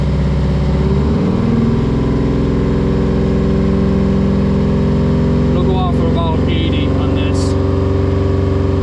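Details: 1980 Peterbilt 359; steady, even rumble settling as the fan slows, short air hiss near the end as pressure is released after the fix; healthy normal running.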